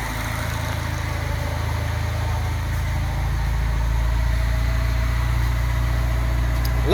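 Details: Datsun 510 engine after repair, with injectors tested and a quiet fuel pump. Deep, even idle rumble with no stumble or skipped beats; now running cleanly on all four cylinders.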